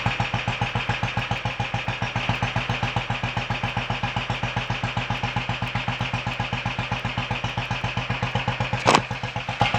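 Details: Royal Enfield 500 Bullet just started for the first time after top-end tuning (ported head, high-compression piston, new guides, retarded inlet cam, standard bottom end), idling before warm-up; steady even thumping, no knocks or rattles, running healthy.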